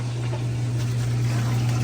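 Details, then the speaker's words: Hotpoint HTW240ASK6WW top-load washer from a boat, service test step 12 (drain pump): steady low hum with rushing water, pump draining normally. Codes 31, 28, 26 were traced to the belt, fixed by tightening the motor pulley. "And we're draining. Okay. Like to test the drain pump."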